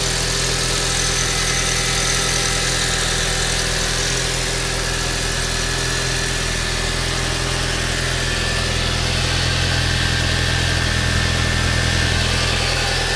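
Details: 1.8T engine at idle: a faint, fairly even tick about three per second rides over the steady idle; abnormal engine noise, cause unclear.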